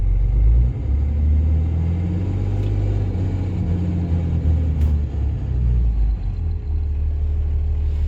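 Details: Diesel hotshot truck with manifold pressure/MAP sensor codes that return after clearing: deep steady rumble with an uneven low throb and a couple of sharp clacks; abnormal, cause not yet diagnosed.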